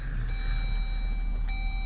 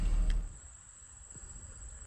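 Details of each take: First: 2018 Jeep Wrangler JL Sahara 3.6L V6 after fixing a cranking no-start; fires right up into low, even rumble and steady idle with chime tones, no misfire or stumble: normal idle. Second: 2018 Jeep Wrangler JL Sahara 4WD 3.6L V6: starter churns at a steady rhythm after pressing the start button but the engine never catches or fires and the starter keeps engaging until switched off; no-start caused by a failed fuel pump relay.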